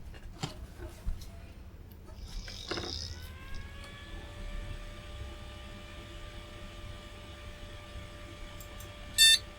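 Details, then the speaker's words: Retro PC (Celeron 600 MHz, 128 MB RAM) after all three slots finally work, with its DVI graphics card fitted: single short high beep over faint fan hiss; normal POST, picture appears. "yep seems to like that and we have a picture"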